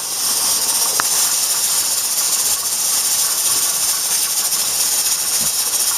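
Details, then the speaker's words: Pressure canner processing chicken stock at just over 10 psi: steady hissing steam with the weight jiggling and venting excess pressure; the canner is holding processing pressure normally. "our wait is now giggling away letting all the excess pressure out so it doesn't get too hot at 32 much better now this is when the processing start when the pressure reaches there and that stops starts jiggling you can stop y"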